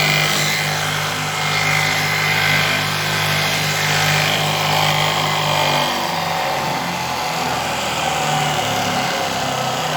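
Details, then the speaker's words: Junkyard 75 x 2000 mm belt grinder after rewiring electrics: loud coarse rattling roar with uneven beat instead of clean hum; severe looseness noted, suspected reason it was scrapped. "that it works, but you can hear it for yourself how. This was probably the reason why this grinder was found in the scrap yard."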